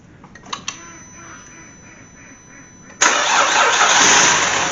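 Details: 2007 Cadillac with a GM 3.6 VVT engine after fuel injector and coil work for a cylinder #1 misfire; quiet, then it catches and holds a steady even idle with no stumble; healthy.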